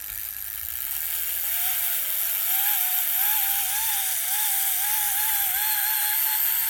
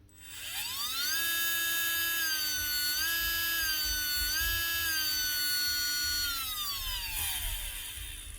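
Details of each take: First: 2024 Makita DBO480 cordless sander, dropped and wouldn't start, run on a bench power supply, belt removed: thin motor whine wavering about four times a second instead of holding steady, weak running. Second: Makita DBO480 cordless sander (2024) after the repair: the brushes, bent when it was dropped, were bent back to make proper contact. The motor spins up cleanly to a steady high whine, holds evenly, and winds down smoothly, running normally.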